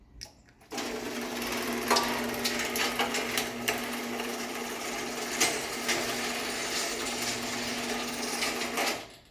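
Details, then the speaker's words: Challenger garage door opener with rebuilt rail running down: steady whir of chain along rail with a few unexplained chain pops, opener motor itself quiet; rail works fine, normal operation. "you can hear the rail makes quite a bit of noise from the chain and the chain pops quite a bit too for some reason I don't know why that is but you can hear the opener itself is actually very quiet"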